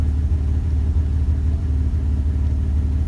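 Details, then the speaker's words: 2001 Dodge Ram 1500 5.2L V8 idling after replacing the faulty MAP sensor behind the surge (P0107): deep, steady rumble with no surging or hunting, sounding much better; normal idle. "so we see a difference vehicle is sounding a lot better damn sensor"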